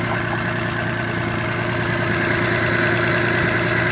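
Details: Citroen C1 small petrol engine idling roughly with an uneven, lumpy chug, a misfire from a failing ignition coil.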